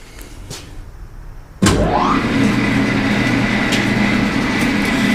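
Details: G&E shaper first start-up after wiring, missing oil sight replaced and oil cap made: motor kicks on, spins up with rising whine, then settles to steady even hum, no knocking; running normally.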